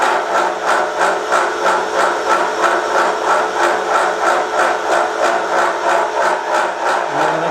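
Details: Milling a vee-block from dense old forklift-tine steel with carbide cutters, an angle cutter and coolant, taking 1 mm cuts: rhythmic hammering about three hits per second, once per cutter turn, growing louder with depth. Chatter from a cheap out-of-round Chinese arbor.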